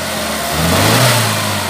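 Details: Chevrolet Prisma 1.4 flex 2008/2009 misfiring on quick acceleration: uneven, stumbling rev blip, exhaust pressure waveform points to cylinder 4; its spark plug, though new, was faulty.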